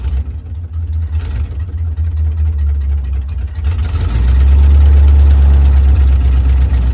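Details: 1956 Chevy Bel Air with a previously locked 265 V8, running from a boat tank fuel supply: low, steady idle with an even beat around four per second that holds on its own, fairly smooth. Normal idle.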